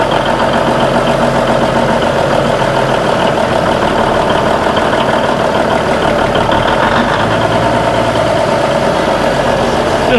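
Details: Old diesel semi truck after welded aluminum fuel tanks and new fuel lines, first start: steady even diesel clatter at constant speed with no rise and fall, no longer idling up and down like before; running better.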